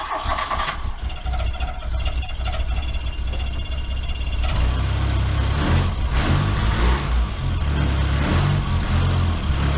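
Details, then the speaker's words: Mk1 VW Rabbit 1.7L right after cat delete with roughly welded pipe; cranks, catches and settles into loud raspy idle with fast puffing tick from leaking exhaust welds. "it definitely still has some leaks in it so I'm gonna start it up and we're gonna see how bad"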